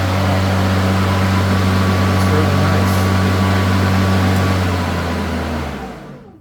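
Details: New Greenworks 80V Pro Max battery mower, rear wheel drive, on turtle speed: steady low motor hum with blade whirr, even and smooth, winding down at the end; running normally.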